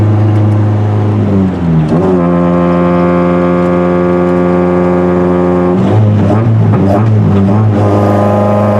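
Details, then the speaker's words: 1989 Nissan Pulsar with 20-valve 4A-GE swap on a rough tuner's tune: uneven, wavering revs with sharp pops on lift-off; running very rich and spitting fire. "it's also running very rich yeah it's spitting fire anyway"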